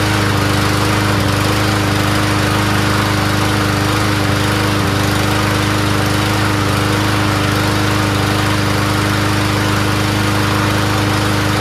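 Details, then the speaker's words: Toro Recycler 7.25 Briggs mower, previously needing three or four pulls, after spark plug replacement (old plug was tough to turn and wobbly): steady even single-cylinder drone at constant speed, no misses or surging; running smoothly. "so now it starts up runs pretty well so what I did was I changed the spark plug"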